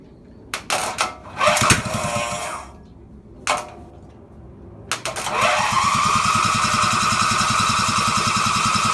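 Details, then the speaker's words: Riding mower engine not run in over ten years, after installing a new starter, gas tank hooked up, no pulley attached: several cranking bursts with brief catches, then runs evenly a few seconds; starts but won't run on its own beyond about four seconds. "so as you guys just saw I just can't get it to run on its own fuel or by itself so or actually longer than like four seconds"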